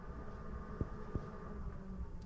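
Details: Zendure Superbase V4600 power station at 51% charge running an off-grid cabin: soft steady low hum from its cooling fan, much quieter than before after firmware updates; normal.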